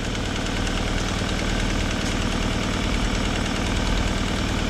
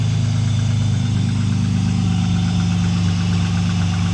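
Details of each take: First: Vauxhall at idle: light quick tapping, about three per second, over an even idle from a small blow at the exhaust manifold; spare manifold to be fitted. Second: Cold start of a Vauxhall automatic, not started in a long time. A deep, even, meaty idle with a steady low rumble, no knocks or misses, and a tiny bit of smoke. Normal cold idle.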